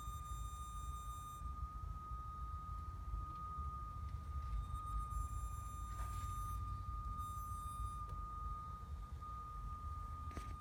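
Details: 2015 Acura TLX 2.4 just shut off and parked in a garage: a steady, thin high hum at one pitch comes from the engine bay over a low background rumble; the cause is unknown.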